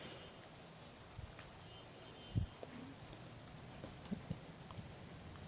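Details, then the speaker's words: After repair of a dual 4440 IC amplifier (home theater), speakers connected and powered on: hum nearly eliminated, only a low quiet hiss with a few soft clicks, no mains hum. "तो जहाँ तक हमिंग का प्रॉब्लम था वो बहुत ही कम हो गया है, लगभग ना के बराबर"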